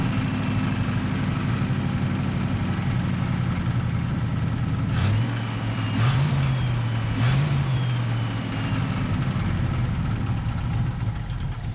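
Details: 1951 Korean War M38 army jeep, not run in years, running after points diagnosis, starting fluid and fuel pump reconnected: low lumpy wavering beat with occasional rev surges; only just firing, rough after years sitting.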